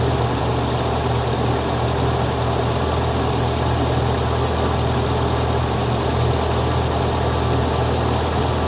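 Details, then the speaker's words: 1975 fuel-injected VW Beetle after intake boot replacement, started cold with the idle raised: steady even low thrum with no misses or hunting, idling normally; cold start valve confirmed working. "That sounds happy. I'm good with that."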